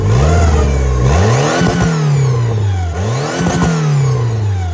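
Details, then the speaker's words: Turbo B18 VTEC (LS-VTEC) Honda Civic EK hatchback, run without power steering belt: crisp throttle blips, revs climb and drop cleanly with smooth even tone, no rattle or slap; much better. "This is how this is how it should be spinning on idle. Give her a quick rev and see what happens."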